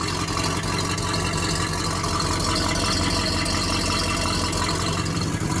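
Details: Small block Chevy V8 on first start, cold day: steady, even idle with a smooth low rumble and no knocks or misses; small exhaust leak noted, engine sounds healthy.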